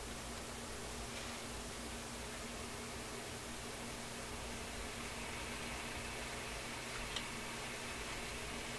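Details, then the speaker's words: Nordmende console vacuum tube radio on Shortwave 1 at restricted power with only the built-in loop antenna: soft even hiss and faint hum with no stations received; no local oscillator is suspected. "Sounds like no local oscillator to me."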